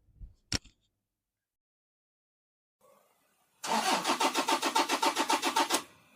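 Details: Toyota diesel engine cranking: starter spins steadily at three to four beats a second for about two seconds but never fires; crank no start, injector driver module (EDU) suspected, not confirmed.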